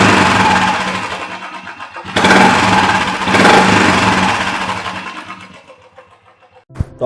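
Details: Royal Enfield single, after a mechanic checked it for a loud tick-tick tapping noise; it starts, takes two quick revs and settles with no top-end ticking. Normal running.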